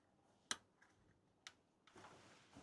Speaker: No, doesn't like it plugged in. It's just clicking. I could hear it go click.